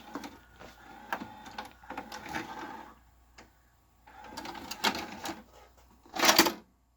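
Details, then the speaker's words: 2011 Magnavox DVD/VCR combo model CDV220MW9 (Funai), tape mechanism shifting with bursts of whirring, clicking and chattering, though playback works; likely cheap mechanism, cause unconfirmed: noisy tape transport mechanism. "i mean other than sounding kind of sickly when it does stuff it seems to be just fine"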